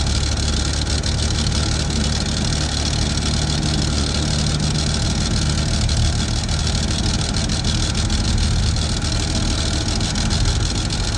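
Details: Chevy II Nova with a 250 six from a '67 and swapped-in Rochester BV1 one-barrel carburetor: even, steady idle with low drone and exhaust leak noise from the unrepaired exhaust, no stumbling or loading up; slightly better than the old carb; normal idle.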